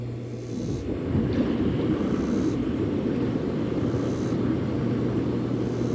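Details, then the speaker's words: Bullfrog Series X7 hot tub after diagnosing a non-working jet pump: steady low hum with even water rush and a constant tone near 120 Hz, no knocks or grinding; both jet pumps running normally. "Hope you can hear me over the uh noise of the thing, but they're both working."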